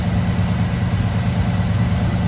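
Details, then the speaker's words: 1985 GM square body truck, sat at least 10 years, first start with fuel supply hooked up, cold on choke: deep, steady low rumble with an even beat, no lifter tick, knocks or misses; normal cold idle. "sounds good the choke is looks like it works we'll see as the engine heats up if it opens up sounds beautiful"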